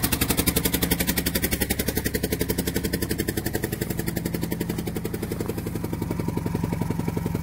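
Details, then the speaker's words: Old 12-valve Cummins diesel on a cold start after sitting a long while: rough idle with a steady rhythmic puff on each firing pulse, about two a second. Suspected exhaust leak at the back of the head, possibly cracked. Not confirmed. "It does have an exhaust leak, but where the exhaust leak is, it's right around the area on the back side of the head, and I can't really tell, but it feels like it's got either a deep crevice in there or something, or it may be busted right there. But as y'all can see, it does run. It don't sound real healthy."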